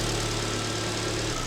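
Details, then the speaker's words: Alfa Romeo MiTo QV 1.4 TB petrol after timing belt change, engine cover off, warming up in winter: steady, even idle hum, no knocking; normal warm-up idle. "It's running now and running normally. The injectors are rattling. Now it's missing that engine cover, so that sound is a bit louder."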